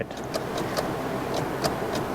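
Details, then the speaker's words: Flood-damaged (was underwater) Scion tC from auction, just topped up two quarts low on oil: sharp uneven clicks about three a second, no cranking, lights dimming; suspected low battery or bad starter; jump box's own battery reads low. "You going to turn over? No. It's dimming the lights like it might be the battery."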